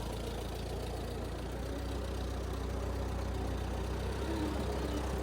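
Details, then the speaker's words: 1960s Massey Ferguson 204 forklift tractor, Continental gas engine, reverse-o-matic transmission, after freeing two stuck valves that caused carburetor backfire and low power: even, steady low chug with smooth firing, no pops or backfire, strong power moving uphill; normal running. "all right well we're running and now we have great power move easily with no back firing this is uh we got a good running machine now"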